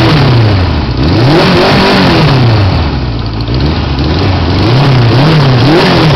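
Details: 1980 Suzuki GS550E four-cylinder with Wiseco 12.5:1 pistons, Wiseco cam, 603cc, rejetted carbs and GS650GT exhaust, second start after rebuild: pulls up crisply and drops back cleanly through blips, no knocks or rattles; healthy.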